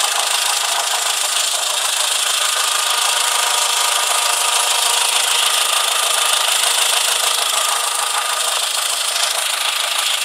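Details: Rapid, steady ticking knock at about 200 per minute over the idle, all in the upper range; engine knock, source undetermined.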